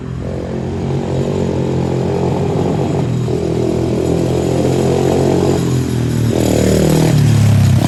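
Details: 110cc four-wheeler ATV after service with new carburetor, spark plug and alignment, broken fuel part fixed: small single revving and settling, steady lumpy beat, no misses or rattles; normal running.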